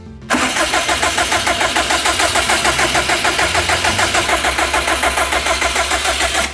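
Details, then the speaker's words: Turbo-upgraded car cranking steadily about three beats a second for six seconds without firing; crank position sensor found unplugged after the turbo install work. "Okay, looks like our crank position sensor's unplugged."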